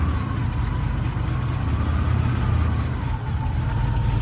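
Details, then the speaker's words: 1984-87 Buick turbo during a TPS and IAC reset; the throttle position set screw was lowered from 825 and idle dropped to 425 rpm, to be raised to about 550. Very slow, deep, lazy near-stalling idle; idle speed set too low. "Okay, you see we're at 425 right there, so we're gonna bump it up some. shocking that these cars can run at 425."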